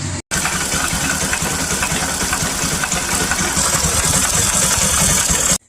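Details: Bajaj Pulsar NS200 with a strange engine noise that persisted after replacing the stator coil: busy, rattly top-end clatter over the idle beat.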